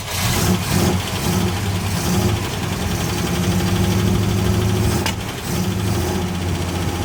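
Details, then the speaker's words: Engine after headers cut off and the exhaust reworked: steady, slightly uneven idle with a faint puffing tick on the exhaust note; owner suspects an exhaust manifold leak toward the back, now not loud and obnoxious like before. "I'm pretty sure it's got an exhaust leak somewhere on the manifold here. I can just hear it. Pretty sure it's in the back."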